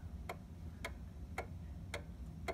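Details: 1800s Seth Thomas OG clock after leveling and a tiny drop of oil: crisp ticks land evenly about every half second over a faint room hum; the clock is in beat and running nicely.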